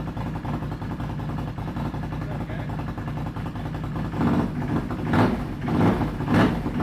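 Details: Can-Am running after fuel sending unit rebuild for low fuel pressure, pressure about 50-60, dropping to 51 after shutoff: fires and runs smooth and even, picks up cleanly on a couple of throttle blips, no stumble or miss; healthy.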